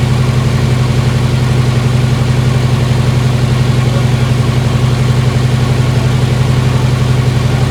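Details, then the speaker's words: 1955 Chevy Tri-Five barn find with V3 Vortech supercharged V8, restarted after adjustment: loud, deep, even lope at fast idle, steady drone, no misses or knocks; sounds healthy with a bit more punch. "hear that thing hard up. It's got a little bit more punch to it."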